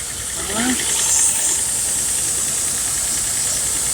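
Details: 2009 Nissan Xterra after a tune-up (spark plugs, valve cover gaskets, upstream oxygen sensor replaced): the engine idles smoothly behind a strong hiss with no knock or miss, and no oil leaks are found.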